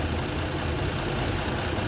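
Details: Ford engine idling with a lumpy, uneven pulse and a skipped beat; the misfire stays on one cylinder after coil replacement and swap. Coil supply ~13 V is present but there is no ignition module (igniter) output, so that cylinder gets no spark.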